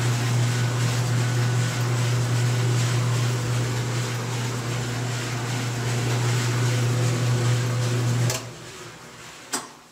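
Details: GE dryer that shut off after pressing start, after repair and reassembly: steady low hum with an even drum rumble for about eight seconds, then the motor stops; runs smoothly and sounds healthy.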